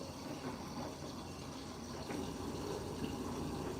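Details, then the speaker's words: Siemens washing machine filling water through the front main detergent drawer chamber: soft steady rush of water with light splashing at low level, no knocks or hammering; normal fill. "Now that fill was through the front the main chamber."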